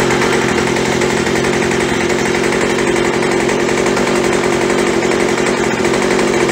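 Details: Craftsman B2000 (MTD) two-stroke blower after a carburetor clean and kit and a trigger modification so the throttle fully closes, idling at about 2800 rpm (previously about 4000): a steady, even buzz with no surging or misfire. Normal idle.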